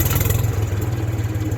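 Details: 1974 Ford 3000 gasoline three-cylinder tractor, revived after being water-locked, new cylinders: deep, regular pulsing idle about fourteen pulses a second with no stumbles; runs normally.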